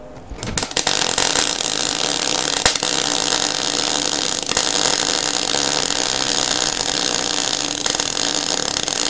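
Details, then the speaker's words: MIG welder with voltage unchanged and wire speed turned down to three: steady frying crackle with a few sharp pops, nearly smooth; wire speed still slightly high, though the weld is not bad and heat penetration is improving. "see that guys is still quite high i just want to spread it out a little bit more but you can actually see it's not a bad sort of weld"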